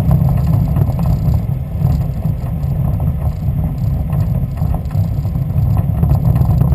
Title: Westfield Zetec engine misfire